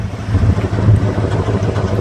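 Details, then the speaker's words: 1988 Ford F250, 5.8L 351 V8, sat two years, about 100 miles since service with new plugs, cap and rotor; low lumpy exhaust beat skipping at idle, dead miss; owner suspects a clogged fuel injector, before injector flush. "you hear that and then it's skips so uh I'm pretty sure one of the fuel injectors is clogged"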